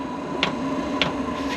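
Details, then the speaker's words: Vevor diesel air heater first test run on diesel, before install: dosing pump ticking sharply about every half second over low fan hum, getting louder as fuel reaches the burner during startup; normal. "but it's heating up you can hear it ticking up getting louder and louder fuel's getting into burner getting ready to take off"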